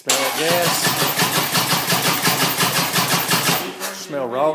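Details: Harley-Davidson cranking without starting: the starter churns steadily at roughly three beats a second for several seconds but the engine never fires, and gas can be smelled leaking out. Cause not confirmed.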